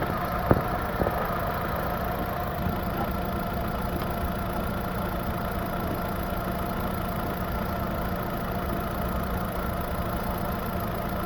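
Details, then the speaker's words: 2011 Chevy Aveo 1.6L smoking coolant from tailpipe, cooling system pressurizing: steady low idle with faint uneven stumble; misfire on cylinders 1 and 2, suspected blown head gasket or cracked head. "all right cylinder 2 misfire one and two"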